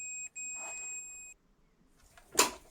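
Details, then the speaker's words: Vespa PX turn indicator bulb socket tested with a multimeter in continuity mode: while the riveted brass plug contact is wiggled, the beep drops out, returns, then cuts off, revealing a loose riveted positive contact causing the unreliable turn signal. "when I test between the rivet and the connector, and wiggle it a bit, you can hear that the connection"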